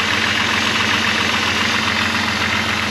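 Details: Jeep with a freshly installed engine, idling warm while waiting for the thermostat (about 170°) to open: a fast, light ticking over the hum, roughly 220 a minute. The source is unclear and may go away.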